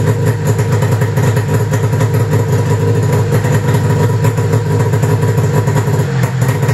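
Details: 1995 Arctic Cat ZR700 carbureted two-stroke snowmobile engine at idle after spark and switch diagnosis: steady, even idle with a crisp regular beat, no misses or knocks; pistons worked great, engine healthy, running normally.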